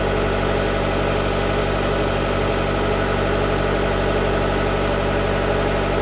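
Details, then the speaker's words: 2019 Jeep Cherokee 2.4 MultiAir with an LPG conversion, which had been stalling on gas with jumping idle revs, now set to run on petrol at about 1000 rpm idle. Even, steady idle with no hunting or stumbling; sounds healthy. "Ну і коли на холостому мигає от газу даєш загорається до 1000 обороту виставлено на холостому працює на бензині"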